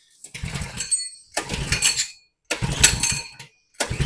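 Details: 2020 Coleman 100cc minibike that was tipped over and lost its oil, slightly hydrolocked from too much fuel: four pull-start bursts, each sputtering briefly and dying; weak spark and a wet plug, so a new spark plug follows.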